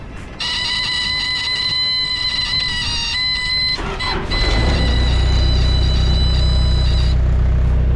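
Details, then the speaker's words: Forklift with 5,400 hours, started after sitting for 2 days: it fires right up within a second and settles into a steady, even low idle, a normal healthy start. "right up after sitting for 2 days, so that's good."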